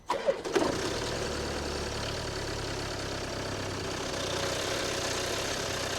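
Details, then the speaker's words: Land Rover Discovery Sport diesel, poorly serviced, cold start: cranks and fires into a busy idle with light metallic chatter, timing chain rattle, not engine knock. "I don't know how well the camera picks it up, but what I'm hearing is the timing chain rattle. The car is not knocking, the engine is not knocking."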